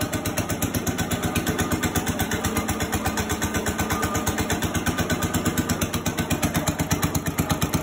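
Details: 1965 Cub Cadet 100 garden tractor, first start in years, only fix a power wire run to the coil positive: steady single-cylinder thump about 170 beats a minute, even and regular; running normally.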